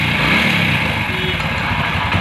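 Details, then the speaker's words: Old single-cylinder motorcycle that had suddenly cut out, after repair: revs smoothly with no ticking or misfire; normal revving. "இப்போ வண்டி start ஆகிடுச்சு. Press பண்ணால் கூட அந்த sound எதுவுமே வரல."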